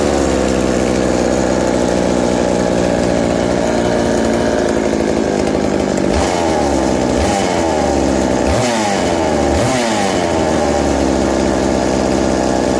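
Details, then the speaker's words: McCulloch 790 MC101 two-stroke chainsaw with Walbro WB37 carburetor on homemade adapter and ignition chip: strong steady buzz rising and dropping cleanly with throttle blips; runs smoothly, normal running. "yeah it uh very surprisingly it runs very nice with that walbro wb37 uh carburetor and the adapter i put i made for it and it just it's it's fantastic it loves every moment of it"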